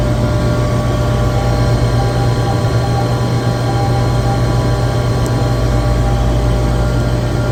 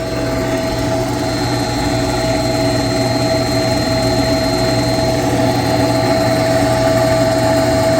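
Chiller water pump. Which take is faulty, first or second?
second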